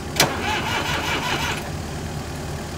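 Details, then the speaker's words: Massey Ferguson 30B loader tractor, sat outside over 14 years: starter turns it over in even, free chugs about 1.5 seconds without catching. Not locked up; oil and fluids fine, but it needs fuel and the tank is bad. Cranks, won't start. "i think we can get it running just need a little bit of fuel all right so now that we know it'll crank over and it's not locked up"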